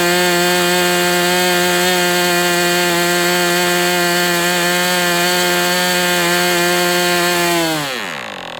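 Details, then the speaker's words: Warm MDS 68 FS Pro engine during break-in on 11x8 prop, still tight with a high pinch: steady high buzz holding even pitch, then cuts and winds down; running well, just slightly rich. "It's pretty warm. I mean, it's running pretty well. It's still, you can hear that it's still really tight. It's got a really high pinch still, even though it's pretty darn warm."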